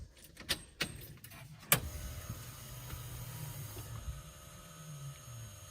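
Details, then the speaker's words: Justin's 5.6 with Megasquirt pulse-width fan control by temperature, fans just barely running; a few sharp clicks then a low steady whir holding even with no rattle, IAC buzzing audible; normal electric cooling fan operation. "So Mega Squirt will control my fans based on temperature, which is kind of a gimmick, but you know, hey, I paid for it, so I might as well try it."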